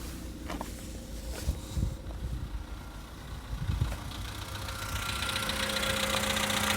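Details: 2013 VW Polo Sedan Sochi Edition, 65,000 km, right after a cold start at idle: irregular dull knocks a few times a second over a steady hum, from the engine; cause unclear.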